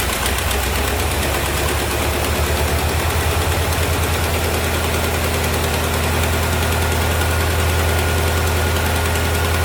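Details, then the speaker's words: 1973 Chevrolet Corvette C3 revival, run after a shot of gas down the carburetor: steady, even low rumble at settled idle, no misfire or knock; a little smoky but not worrying; normal idle. "it's a little Smokey but I'm not not really worried about it"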